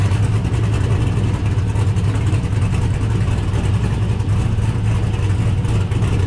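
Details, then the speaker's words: 1969 Camaro with swapped LS V8 and T56 from a GTO donor, built nine-inch rear, started after a couple of months sitting, following ride-height shackle fix; deep heavy rumble with uneven cam lope, steady, no knocks or rattles; sounds good, normal idle. "she's out in the Sun damn it sounds good"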